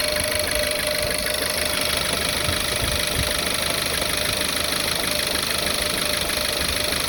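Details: Volkswagen Tiguan 1.4 on a cold morning start: uneven idle with a rattly knock about twice a second and a stumbling beat; cylinder 1 misfire with detonation knock, possible leaking line suspected.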